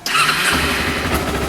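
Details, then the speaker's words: Motorcycle cold morning start with the choke on, in neutral: a brief crank catches at once and settles into a steady, fast choke idle. It starts cleanly, though the engine can die when cold. "There you go. See, it starts fine. You hear how it idled well and then it died in the arse? That's because it's cold."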